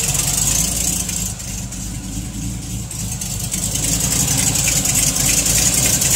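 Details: TVR Chimaera 400 Rover V8 at idle: a steady, fairly quick light ticking over the low engine rumble.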